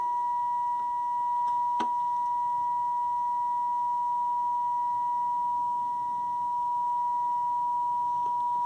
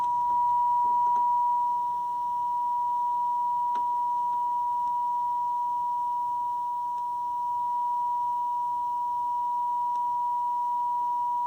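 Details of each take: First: Zenith R430 AM/FM table radio (about 1980) tuned to 98.5 FM, detector being adjusted during alignment for the cleanest audio: a clean, steady test tone of about 1 kHz with barely any waver. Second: Zenith R430 AM/FM table radio (1970 or 1980), being serviced, FM detector adjusted for the cleanest sound: a steady, pure tone near 1 kHz with no buzz or distortion, so the detector is well aligned.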